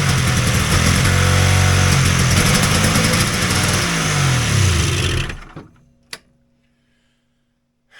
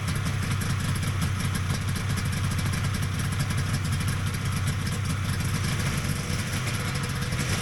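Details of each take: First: Polaris XLT triple two-stroke snowmobile after a summer's storage, possibly flooded: loud raspy revs sag unevenly and die within seconds; fuel pump not pumping, later found with an internal plate installed upside down. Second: Vintage Polaris XLT triple two-stroke snowmobile at steady fast idle after its pump was reassembled with an upside-down plate corrected; even burble, dense low drone, no misses or rattles; sounds healthy.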